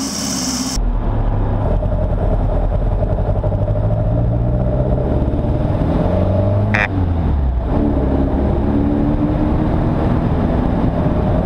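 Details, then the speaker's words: Mk1 Fiesta XR2 with Jenvey throttle body and Omex 600 EFI: revs rise and fall with a lumpy, stumbling beat under load. Misfire blamed on injectors pointing down only two ports, overfuelling one cylinder at low speed; number one plug was cleanest. "uh so the the fuel rails in here the injectors are pointing down there and that one's getting too much fuel at low speed"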